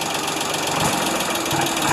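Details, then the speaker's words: Ford 2600 diesel tractor, cold start after sitting about a year, one stuck valve left loose and needing adjustment: harsh clatter as rpm rises, quieter at steady rpm, reluctant to accelerate; owner suspects timing rather than a rod bearing. "you hear that as it's gaining RPM it's got a noise to it and then it quietens down once it gets to a constant RPM"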